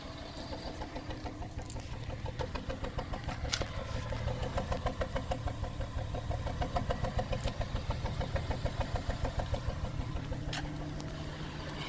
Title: 04 srx rough idle